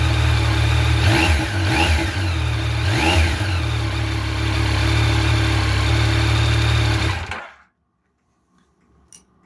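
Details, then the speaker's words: Motorcycle idling after work on the manual cam chain tensioner: an even, steady idle at a constant pitch with no whine (whine would mean the chain is too tight) or chain rattle, then it shuts off; a normal idle. "Sounds pretty good. We're pretty close, right?"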